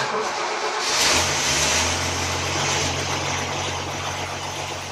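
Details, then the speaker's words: Toyota FJ40 with newly installed and rewired Holley Sniper fuel injection, in neutral: fuel pump runs, engine fires up with the key and settles into a steady, even idle with a smooth low hum, no knocks or misses; normal running. "sniper did pop on so good news there well pull our brake our brake light even works and she fires up with the key how about that"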